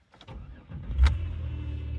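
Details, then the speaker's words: 2008 Chevrolet Impala with no-start/no-crank from rodent-chewed wiring harness, after repairing a few wires: brief starter whir, catches first try and settles to a low steady idle; normal start, though TCM later stopped communicating and was eventually replaced. "Oh, wow, it fired up. No way. It was just the wiring."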